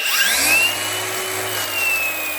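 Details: Flathead braking 4-1/2"–5" cordless angle grinder, 11000 RPM, running on a Milwaukee 18V replacement battery, speed mode selector, no load: clean steady high whine over smooth motor hum, no grinding or rattle; healthy.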